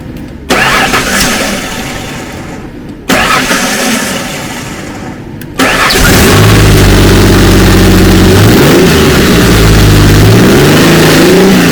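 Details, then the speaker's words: 2004 Ford Ranger FX4 4x4 4.0 V6, 275,000 miles, after ignition coil and plug wire fix for misfire code: two short cranks, catches, revs cleanly and settles into an even steady run; sounds good. "Make sure we don't have any more firing, but misfiring, but it's, boy, it sounds beautiful."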